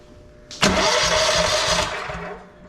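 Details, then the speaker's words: Vintage Onan Pro6000E generator, Elite 140 12.5HP OHV engine, long sat, fuel unhooked, weak battery: click then brisk even cranking without firing; normal starter cranking. "Let's uh since I don't have any fuel hooked to it, let's just see if we can crank it over and see if the starter does anything."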